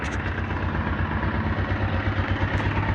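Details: Honda Titan 125 motorcycle at idle, heard through a microphone taped to a tool handle used as a stethoscope: a hard, regular clatter of about three beats a second, from a damaged cam sprocket.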